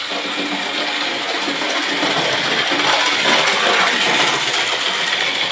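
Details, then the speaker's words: Model railway locomotive with a cracked, unevenly glued base plate, running a full circle of the track. Even high-pitched whirr with light wheel clicks two or three a second, no stumbles or grinding: normal running. "she should be able to do a full circle i like the noise"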